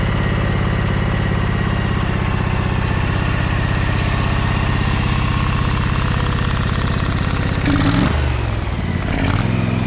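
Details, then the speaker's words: Briggs & Stratton Vanguard 23HP V-twin on a Little Wonder hedge trimmer, after primer bulb replacement and carburetor cleaning: firm, even beat at a steady idle, then two clean throttle blips near the end. Runs smoothly and nicely. "So how about that, fellas, huh? That engine really runs nicely now, huh?"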